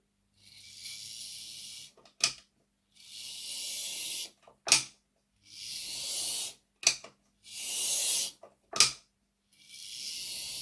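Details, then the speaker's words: Hornby R751 Class 37 model locomotive after worm gear mesh adjustment and oiling either side of the bearings: even high whirr in runs with short clicks between, no grinding; much quieter. "Right, how does that sound now? It's a lot better. We'll see how this goes on the test track."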